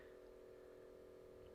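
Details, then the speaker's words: 1980s Hitachi TRK-8600E radio cassette boombox, powered on before repair, tape belts missing: faint constant low hum, possibly transformer hum from the damaged power inlet or the tape motor trying to turn. "I'm listening I'm trying to decide if that might be Transformer hum from the damage to the inlet or maybe that's the motor trying to go around but there's no belts on there for the tape"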